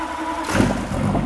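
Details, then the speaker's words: Rebuilt ~1000 hp LBZ Duramax diesel for a Camaro, very first startup: catches and settles into a smooth, quiet, even idle with some smoke, no knocking or roughness; normal idle. "It's actually smoother than I thought. Super smooth. It's quiet. It sounds good."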